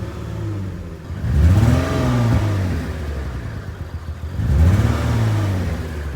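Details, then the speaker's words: Lexus IS350 V6 with the check engine light flashing and the traction/VSC lights on: two throttle blips with a lumpy, uneven pulse and a lag in the vibration, one cylinder misfiring. "I don't know if you can hear it but there is like a lag in the vibration so that's the sound of a missing cylinder"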